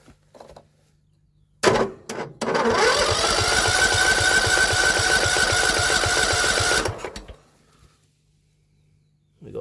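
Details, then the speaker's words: John Deere L110 lawn tractor that sat for three years, cranked with the choke fully on and the fuel solenoid working. The starter turns slowly and evenly, about four compression beats a second, but it never fires; the battery seems to be dying. "sounds like our battery's going to die which is pretty typical right at the crucial moment sounded like it was going to run then which would have been too easy"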